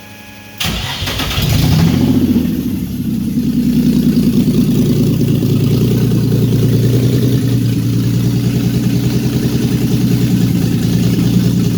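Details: VQ35DE-swapped Datsun 260Z on its first day running, on new ECU, ignition and fuel-pump wiring, started by key. A short crank catches within a second, then a loud, raw, steady, even idle, seemingly without exhaust; normal start.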